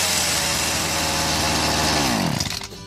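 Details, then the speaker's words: BERALA BL-29X two-stroke chainsaw, now running after fresh fuel was pumped through the carburetor; a high buzzy note running cleanly at speed, then revs falling away at shutdown. "เปิดสวิตช์นะครับสตาร์ทเลยแค่นี้ก็ติดครับเดี๋ยวเราลองดูอีกทีครับ"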